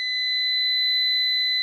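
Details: New PowMr 3.2 kVA / 3000 W inverter on the bench for diagnosis: steady shrill buzzer near 2 kHz without a break; fault alarm with an error code and a battery-voltage-high warning, processor overheating suspected.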